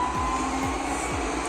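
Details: Botslab S8 Plus robot vacuum after the repair: a steady airy whir with no rattling, grinding or clicking; the earlier loud plastic-knocking noise was caused by debris on the belt, which was cleaned.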